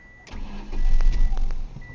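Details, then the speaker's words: 1999 Ford Escort ZX2 2.0 L DOHC Zetec with a miss, blow-by and cylinder 2 at 25 psi: short, labored crank that does not catch; hard starting. "oh now it's not going to want to start come on baby okay I've got it running now it was a bit picky there"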